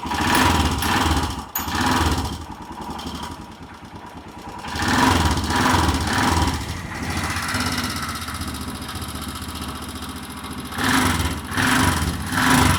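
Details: Royal Enfield Himalayan single-cylinder, first electric start after sitting about six months, fuel pump heard working: it catches and settles into an uneven thumping idle with revving, running, though a noise suggesting rocker or timing-chain wear is suspected.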